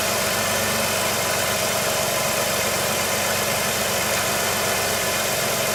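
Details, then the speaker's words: 2005 Jeep Liberty (3.7 V6 or 4.7 V8) just after alternator replacement, charging over 14 volts: even, steady idle hum with no knocks or misses, much quieter than before; normal idle. "Let's go start it up. Nice and quiet, a lot better than it was before."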